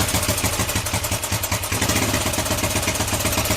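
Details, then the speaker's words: 41-year-old imported Honda XL125S single-cylinder, 5,307 miles, not run before, idling after first-kick start on choke to circulate oil; steady, settled tickover with light mechanical clatter, sounding spot on. "Well, it ain't been run, we're just going to leave it ticking over a little bit. Just get some oil around it. But yeah, that is sounding spot on."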